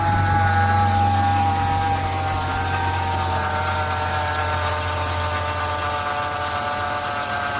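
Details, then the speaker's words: Petrol car idling evenly: a steady droning hum with a clear whining tone from the engine bay. It remains after a new power steering pump was fitted yesterday; the cause is unknown and the owner is asking what it could be. "Ну что товарищи эксперты автолюбители скажете Мне желательно мсти гул слышишь от чего этот"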